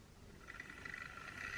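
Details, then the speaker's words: Bachmann 4MT standard tank model locomotive on the test track before a long-overdue full service: thin, rough whirring grind rising and falling as the motor runs; owner suspects the gears have dried out, but it still moves. "around the grindy so it sounds like the gears have dried out but nonetheless we're moving"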